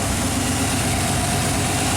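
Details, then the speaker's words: Chevy truck with 5.7L throttle body injection after a PROM chip swap, warm and in closed loop: fast, even idle stuck at about 1,000 rpm that won't drop; cause unknown. "RPM still at 1,000. I don't know why it's not coming down."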